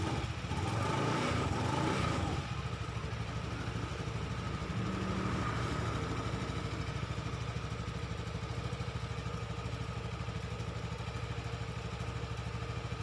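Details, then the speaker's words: Honda Vario 110 FI after seized, broken front CVT pulley, test-run with CVT cover on one bolt after fitting correct-length bushing: brief rustle then smooth even hum, no rubbing; wrong-length bushing was the cause. "Oke, suaranya halus dan tidak ada suara gesekan."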